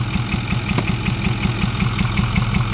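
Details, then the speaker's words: 2010 Ford F350 with a 6.4 Power Stroke diesel and a check engine light: a steady idle with a sharp regular tick on every firing cycle plus occasional pops; the mechanic attributes it to intake popping and a too-loud rocker. "That's a popping of the intake here. I'm not even lying to you guys. You could hear the popping and the rocker."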